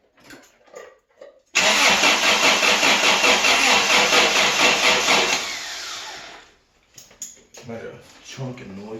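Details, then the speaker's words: Toyota pickup truck, automatic, sat 24 years: cranks steadily at about two and a half turns a second but never fires, then winds down as the battery dies; fuel pump not heard running, clicking under the hood; owner suspects the battery or timing. "see now i didn't hear the fuel pump run yet i do hear some clicking going on up here you might crank it over harder there but i think we're losing that battery"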